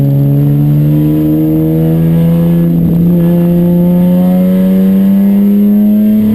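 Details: Chumpcar on track at Watkins Glen, problem starting midday Saturday: engine climbs steadily through the revs under load with a brief stumble near the middle; misfire, cause unknown.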